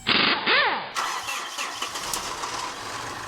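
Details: 2013 Mitsubishi Fuso FG 4P10 diesel truck: starter turns the engine over briefly with an uneven churn but it never catches; crank, no-start condition, cause still being diagnosed.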